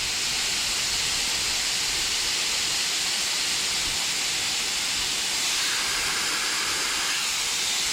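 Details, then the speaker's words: Pump-saver check valve on a T-bucket's mechanical fuel injection pump (gravity-fed from a rear fuel cell) under air pressure test: no leak at 90 psi, leaking by 100–120 psi; steady hiss of escaping air. Supposed to be set at 150 psi. "That's 90 psi right there. It's not leaking. That's 100. It's leaking there. That's 120."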